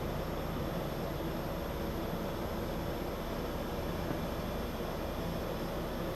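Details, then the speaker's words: Bosch multi-zone mini-split outdoor unit after automatic wiring correction (CE) and standard 3-minute compressor delay; inverter compressor hertz rising on LED display, steady even rushing hum with no knocks or rattles as it ramps up normally. "Once the 3-minute delay for the compressor to be energized is completed, you'll begin to see the hertz increase to the compressor as indicated by the number on the LED screen. If you listen carefully, you can actually hear the outdoor unit ramping up as the number on the screen increases."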